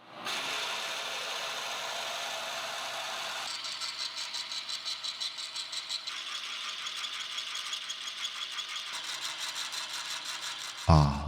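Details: Lathe boring with a carbide insert: harsh, high-pitched screech and rapid rattling while the bore is cut; tool chatter from running too slow with the tool set low.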